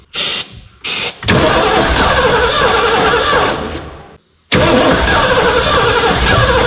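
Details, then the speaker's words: 1989 Ford F250, parked since about 2016, with a new gas tank and a new battery: two short cranks, then a long steady crank that never fires; no spark was found. "She was a cranking today, but uh just couldn't get her to bust off."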